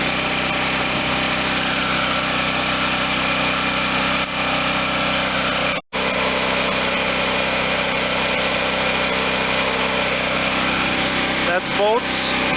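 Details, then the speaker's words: 2014 WEN 4050 generator after fitting a new adjustable carburetor, fed from a spare tank, engine speed still slightly high: the small single-cylinder engine hums at a steady, even speed with no load and no surging or hunting, running like new. "okay so we got an engine that sounds like a brand new one runs smoothly no surging even under no load"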